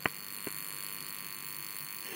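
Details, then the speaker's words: Classic non-electronic electric intercom (door phone) audio circuit with a fault: a steady mains-type buzz fills the handset line instead of street sound, with handling clicks. "único que se escucha es un zumbido en este cuando levantamos Este es el pulsador este pero acá No tendríamos que escuchar un zumbido como este tenemos que escuchar Sonido de la calle"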